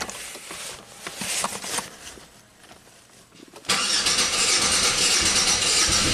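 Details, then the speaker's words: 1997 Buick Century 3.1 V6 (3100) that started misfiring, with plugs, wires, coils and ICM replaced, now barely starts: weak cranking, then it catches with the throttle floored and roars rough and strained, barely running. Rough running at wide open throttle. "alright so the car actually started wide open throttle it barely ran I mean it's really really not happy"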